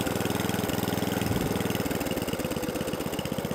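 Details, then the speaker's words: 2003 Atco Balmoral 14 SE electric-start cylinder mower, Tecumseh engine, after service and carburettor adjustment: even, steady putter at about three and a half beats a second with no hunting; clean idle, shuts off properly. "Idol's nice does it shut off shuts off so now it stops starts runs cylinder all works as it should do"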